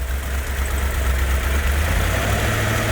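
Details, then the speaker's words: Rebuilt numbers-matching 426 Hemi from a fire-damaged Hemicuda, run on an engine stand with old pipes and rebuilt carburetors: a deep, steady V8 idle with even firing and no knocks or misses, running beautifully with no oil leaks. "we did our initial fire up this morning how did it run beautiful and it still does"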